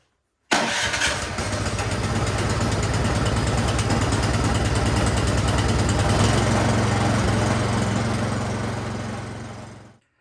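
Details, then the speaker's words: Troy-Bilt snowblower that wouldn't start, after its carburetor jets gunked with old gas were cleaned; started with choke and primer. It catches on the first pull and settles into a steady, even run with no misses or surging. "All right, it was just that carburetor, just the jets were gunked up, old gas."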